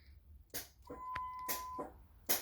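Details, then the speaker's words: Dodge SRT4 with newly installed nitrous, bottles empty, armed via key-powered arming switch and manual trigger under center console; sharp single snaps with short electrical buzz, crisp clean clicks, nothing once disarmed: nitrous solenoid clicking normally. "You can hear the solenoid snap. Disarm. Nothing."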